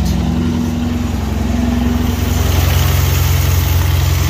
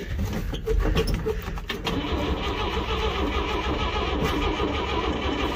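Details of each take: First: 1962 Chevrolet C10 pickup, grandfather's old truck being revived, starts after two-stroke gas poured down the carb; steady, even low idle with smooth regular beat, no knocks or ticks, oil pressure light goes out; healthy running. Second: 1962 Chevrolet C10 pickup, two-stroke gas poured down the carb, on old homemade jumper cables: uneven, labouring crank that sputters and fades after a couple of seconds as battery power is lost; a loose post/ground connection is suspected.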